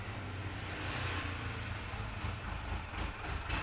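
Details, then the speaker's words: Polytron washing machine: a steady low motor hum with a harsh rattle, rising as the pulsator slips. The pulsator stops turning when held by hand, and the machine is very noisy. "mesin cuci berputar tapi tidak bisa berputar saat kita pegang pulsatornya Suaranya berisik sekali"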